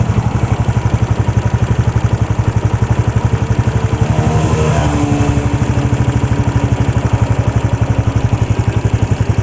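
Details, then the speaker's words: Yamaha Jupiter Z1 motorcycle, before repair, loose cam chain tensioner on the left side of the engine; fast, regular light ticking over a steady low idle, keeping pace with the engine. "Ini dia judulnya penyebab bunyi menggelitik titik di mesin kiri Jupiter satuan adalah dari Tensioner rantai keteng"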